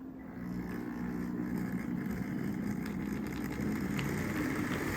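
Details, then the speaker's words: Second model locomotive: steady soft motor hum with light buzz and track clatter, same noise level as the first, so judged normal for this model. "H that one's pretty much the same noise level so I guess that's just how they are"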